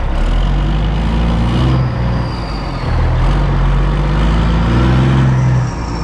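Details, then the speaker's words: 2004 Kenworth W900L with Cat C-15 diesel: deep, steady rumble with even firing and slight load changes, no knocks or misses; running as it should. "but she is running sounds good just like she should and now i'm gonna bring her into the shop so let's do that"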